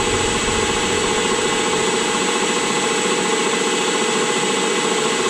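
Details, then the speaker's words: Rockwell horizontal mill running on a VFD in a cold shop, steady loud whir with a gritty rough hum from the spindle head; owner suspects the tapered roller bearings have taken a set and may clean themselves up. "those are tapered roller bearings in there I think they may have just taken a little bit of a set and they clean themselves up I don't know"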